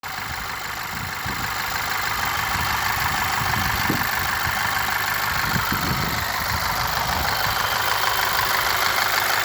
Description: 2.0 tsi ea888 engine with new chain and modified tensioner.strange knock still present only on warm idle.any ideas??